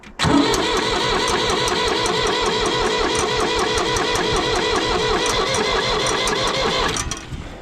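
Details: 1960s Ford diesel tractor sat about 20 years, missing front end and radiator, cold, on a jump pack after heating the glow element: starter whirs steadily about seven seconds with no firing; cranks but won't start, fuel delivery uncertain.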